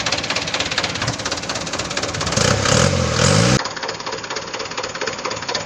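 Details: Mitsubishi Canter turbodiesel after fixing a leaking turbo that was consuming oil, intercooler not yet fitted: steady diesel clatter at idle, even beat, no knock, squeal or rising whistle; healthy.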